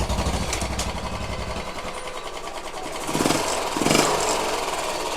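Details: Royal Enfield single-cylinder motorcycle at idle: thumping beat with an uneven mechanical clatter on each beat, louder with small blips; noise from the timing side, mechanic unsure whether crank, timing gears, head or oil supply.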